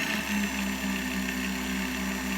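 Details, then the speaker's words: Universal Pillar Tool driven by an electric motor through a blue drive belt, with the ends melted together, cranked up on a router speed control: steady even hum at one pitch, no slap, squeal or knock, normal belt drive running. "Crank it up. The action is nice and smooth."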